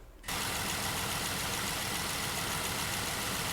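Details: Jeep JK Wrangler Unlimited Rubicon, Pentastar V6, 228,000 miles. Warm idle with a fast light ticking in the engine hum, the control recording before Liqui Moly lifter additive was added. Cam, lifter or rocker wear is suspected, not confirmed.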